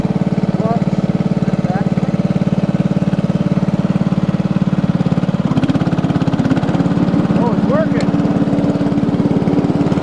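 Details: Lawn tractor about 20 years old, sitting 9–10 years before being revived: the small single-cylinder runs even and strong, deepening slightly as the mower deck engages and takes load at five seconds, with no misses. Normal running under load.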